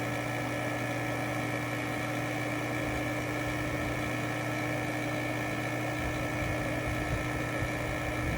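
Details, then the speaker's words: Robinair R1234YF A/C machine with its cover off, vacuum pump pulling vacuum on the high side: a steady, even hum with a constant low tone and no knocking or surging; normal vacuum pump operation. "Do you hear the vacuum pump now? I didn't hear that before."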